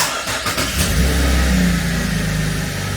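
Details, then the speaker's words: 2017 Holden Commodore SV6 LFX V6 after an oil and filter change and six new iridium spark plugs: it ran a little rough at first, but restarts with a quick crank, a clean catch and a brief rev into a smooth idle; normal. "All right, perfect. Yeah. It's all done. Six new plugs. She's smooth. Yeah, she purrs."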